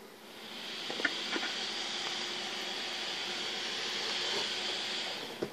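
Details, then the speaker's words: Used Asus P5Q Green motherboard from a car boot sale, after BIOS reset via CLRTC jumper and new CMOS battery: fans whoosh up, hold a few seconds, then die with relay clicks; no beeps, no video, endless reboot/POST loop. "Don't seem to have any beeps, and it seems to be doing the same thing."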